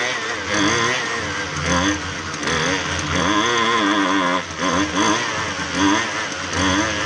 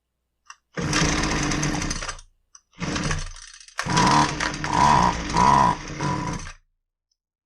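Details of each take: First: Husqvarna 128LD string trimmer that only ran on half choke, after carb refresh, carb adjustment screws being tweaked; buzzy two-stroke holds a steady run, revs rising and falling as mixture is set, pulling cleanly without stalling. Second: Husqvarna 128LD two-stroke string trimmer with edger attachment, which only runs on half choke; air filter fair, fuel tank clean: catches and runs in short rough bursts of a second or two, then cuts out. Lean running from fuel starvation.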